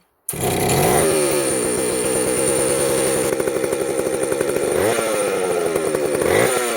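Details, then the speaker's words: Jonsereds 70E vintage chainsaw after a major cleaning and fitting an unknown cooling fan, run without its top cover. Crisp two-stroke buzz revs up and drops back cleanly; runs fine, smoking from oil put down the cylinder. "look at that she's a runner she's smoking because I put some oil down the cylinder when I first got it"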